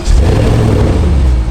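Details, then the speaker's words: Porsche Cayenne Turbo S with a twin-turbo V8 and 250,000 km, bought crashed, running: deep, smooth rev with strong low rumble and no knocks, misses or rattles; healthy engine revving. "The engine sounds quite healthy, which is a good sign. Looks like we didn't just buy a lemon."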